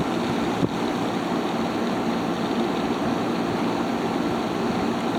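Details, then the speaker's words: Haier ESA410J-RGB 10,000 BTU window air conditioner, evaporator-side airflow test with the fan on low at about 1,500 RPM, air already cold: a steady, even whoosh with a smooth motor hum and no rattles or surges. It is running normally. "Pushing out just about 1500 RPM."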